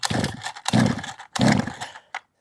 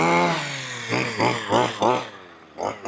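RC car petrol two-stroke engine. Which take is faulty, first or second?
first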